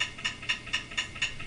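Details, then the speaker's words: Failing hard drive making sharp, evenly spaced clicks about four a second; a warning sign of drive failure, back up data. "the clicking that's not a good thing then there's the cycle click"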